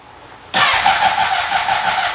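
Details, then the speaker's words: 2003 Honda CBR600RR first start attempt after sitting, new battery, little fuel in tank: starter cranks with even compression chuffing but never fires; low fuel and a weak battery suspected. "well it's cranking it's CR that's good we got compression it's definitely"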